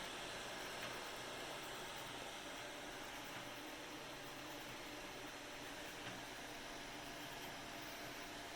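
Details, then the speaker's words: Anycubic i3 Mega 3D printer after silent mod with quieter stepper driver chips and replacement fan; only a soft, even power-supply fan hiss, no stepper whine or clatter; normal quiet running. "much the only families that you hear is the power supply fan so win-win it's now a super quiet printer"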